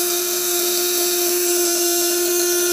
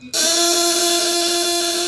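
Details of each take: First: 1.5 kg platinum-point vibrator (setrum platina) at 12V under 200–1000 W load test: clean, steady high-pitched buzz holding one note, showing the contacts are well adjusted and running smoothly. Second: 12V contact-breaker (platina) shocker, 1.5 kg, on a 200–1000 W load test, run without the upper stop setting. A harsh high-pitched buzz with a slightly wavering tone as the breaker arm chatters unrestrained; it needs its upper stop set.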